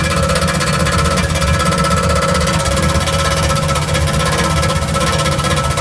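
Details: 1977 Chevrolet Camaro running: loud engine with a fast, even clatter over the exhaust drone; weird engine noise, cause unclear.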